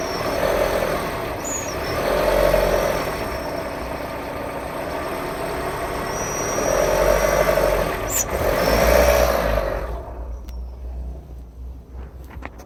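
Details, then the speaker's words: 2013 Renault Duster 1.6, warm engine, canister purge hose removed from throttle body and port plugged: thin high whistle rising with each throttle opening and fading as revs drop; cold it whistles at idle; intake whistle, cause unknown. "Вот сейчас покажу на горячую, как сейчас машина прогретая. Вот нажимаю газ, и сейчас камерой покажу свист."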